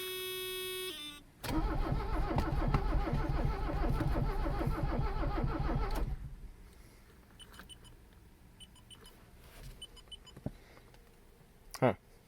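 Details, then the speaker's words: Abandoned Mercedes 300CD diesel after glow-plug cycles, battery reinstalled: starter churns steadily about five seconds with a quick even beat, never catches, then stops; crank no-start, owner suspects fuel supply, plans cracking injectors and refilling the fuel filter. "I think it tried to do something. It's doing that thing now."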